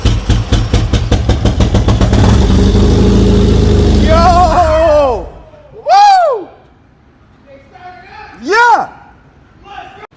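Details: Nissan 240SX, running on its own for the first time after a distributor rotor with a busted internal connector was replaced, on a temporary open exhaust: the petrol engine fires and runs with a rough, loud burble for a few seconds. Normal running.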